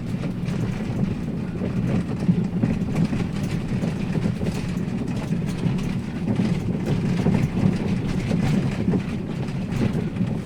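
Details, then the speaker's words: 2017 Daihatsu Sirion on a rough-road test drive: rapid, uneven clunks and rattles over a low road rumble from the front, right front most pronounced, felt as vibration in the steering wheel; front suspension knock. "ini untuk Suaranya sangat jelas suaranya di bagian depan bahkan nyampai ke setir juga terasa getarannya"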